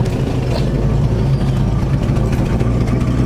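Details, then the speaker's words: 1973 Ford Torino Sport Fastback, after sitting for three years, restarted: a loud, low, uneven, lumpy idle with no clear knock. It runs rough and needs fresh gas. "hope you all enjoyed this video on the Gran Torino Sport it runs it runs rough"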